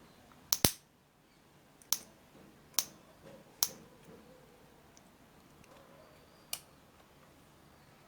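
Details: Gas cooker electronic push igniter being tested for high-tension sparking. Sharp, crisp snaps at irregular intervals, about six in eight seconds; the igniter fires a healthy spark each time.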